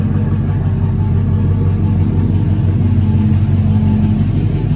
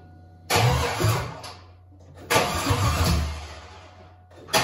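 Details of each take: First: Cadillac Escalade rebuilt 6.0 LQ9 V8 with dished pistons, ported 862 heads, 10.5:1 compression, LS6 cam, first run idling lean; deep steady rumble, slight cam lope, no misses or knocks; sounds good, normal idle. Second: Rebuilt Cadillac Escalade LQ9 6.0 V8 with ported 5.3 862 heads, 10.5:1 compression, LS6 cam, first fire with no cooling, 50 psi oil pressure: short rough uneven revs; one bank's plug wires unplugged, firing on four cylinders.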